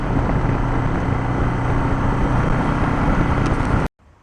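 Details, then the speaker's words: Barn-find 1971 Honda CB350, kickstarted with a weak battery: twin thumping at idle with the beat drifting up and down instead of holding steady, then cutting off; erratic idle, possibly battery-related, cause not confirmed. "so it's running pretty good except for the fact that the idle's all over the place you set the idle and it's up and it's down"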